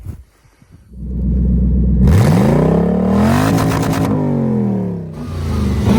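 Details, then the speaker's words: Toyota 1UZ V8 revived after sitting a few years, after 10:1 fuel/trans oil mix: catches, revs cleanly, settles and blips with even note; earlier two-cylinder misfire gone, running normally. "it's just about just about cured itself I think well seem cleared up it's running pretty minty now so over the moon with that"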